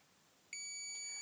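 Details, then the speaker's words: Multimeter continuity test on a 1940s Osram 5ft T12 80W fluorescent tube: a steady high beep for about a second shows continuity, so the filament at this end is intact; the other end's filament is broken. "So put the two together and you hear the sound of beep."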